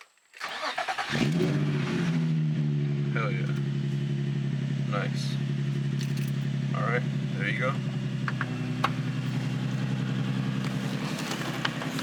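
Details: Nissan 350Z / Infiniti G35 just after starter replacement: brief crank, engine catches quickly and settles into a smooth steady idle; starter engages cleanly, sounds normal.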